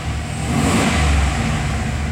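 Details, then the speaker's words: 2004 Chevy Express 3500 van with 6.0L V8, previously code P0507 with idle climbing, after an idle air control motor fix: a brief throttle blip, then the idle settles straight back to a steady low idle. "goes right back down that's so awesome"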